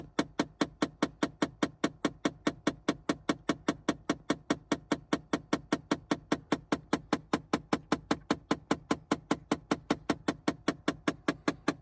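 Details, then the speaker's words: 2009 Chevy Impala LT after the engine is shut off: steady knocking, about 2.5 per second, from behind the dash that lasts a short while and is absent while running; exact cause unknown. "When I turn it off, it has a little bumping noise in the dash."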